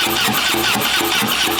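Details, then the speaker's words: HeavyD's Harley-Davidson being rebuilt, after priming a dry fuel pump, throttle not hooked up: rapid even cranking that won't fire; injectors suspected badly plugged, unconfirmed. "I think the uh I think the injectors are pretty well plugged up"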